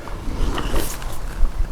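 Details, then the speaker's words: Model locomotive bogie (Warship project), wheelbase over 300 mm, tested outdoors: brief scraping squeal and grinding on the sharpest curve as the very sharp, square wheel flanges catch the rail. "but it makes a funny noise which you can hear there, and I realise what it is. These flanges are very, very sharp and square, and they're just catching on the rail at the sharpest point."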